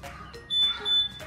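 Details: Honda/Yamaha smartkey scooter locate function switched on: two short, sharp high-pitched chirps in quick succession answering the key normally.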